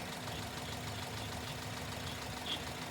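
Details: Running engine at idle for baseline: steady even idle with faint constant hum, no knocks, squeal or grinding; healthy baseline.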